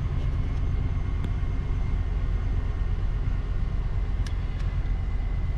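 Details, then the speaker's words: 2002 Chevy Tahoe 5.3L, cold start at about 40 degrees after new intake gasket installed: even, steady idle with smooth low rumble, no hunting or stumbling; previously would pop and barely stay running cold. "the chains oil so i think thing runs great spent a lot of money on stuff i didn't need to spend money on as you can see it's idling"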